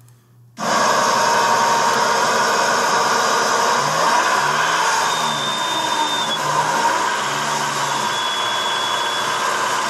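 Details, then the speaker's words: Nissan SR20DET in an S14, idle then throttle blipped: quiet at idle, deep knock appearing around 2000 rpm; rod knock, fixed by replacing rod bearings. "So that is Rod Knock."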